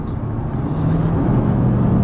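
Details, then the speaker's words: 1996 Ford F-150 4x4, 76,000 miles, warmed up, climbing an incline under load at normal throttle: low steady engine drone rising gently, no hesitation or bogging; normal acceleration. "we're gonna get it on this uh this incline here just give it your normal throttle it just cruises right up"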